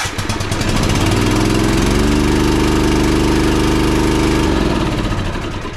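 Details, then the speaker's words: Toro TimeCutter Z5035 V-twin zero-turn mower in for a tune-up with a new fuel filter: starts and runs steadily but sounds restricted and flat, lacking full power; suspected running on one cylinder, to be checked with a spark test on each side. "so it's just kind of sounding restricted there doesn't sound like it has full power whatsoever uh to a trained deer anyway so if it's not sounding like it's getting full power on a V-Twin you could be operating on simply one cylinder"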